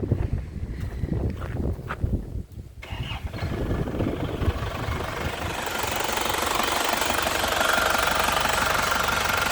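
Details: 2006 Grand Touring with manual gearbox and turbo diesel, dry engine with new filter: cranks a couple of seconds, catches, settles into a steady, even idle clatter without knocks or misses; healthy.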